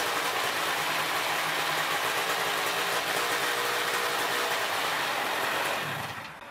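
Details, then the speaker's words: Polini THOR 250 DS two-stroke ultralight aircraft engine, initial short run with low-speed mixture screw 5 degrees (about 1/12 turn) lean: steady high buzzy idle about 2,800 rpm, then fades out; quits on quick throttle, lean low-speed mixture. "the initial short run has the low speed mixture screw adjusted lean by 5 degrees or about a 12th of a turn the engine idles about 2 800 rpm and quits when the throttle is advanced quickly this indicates that the mixture is lean at low rpm"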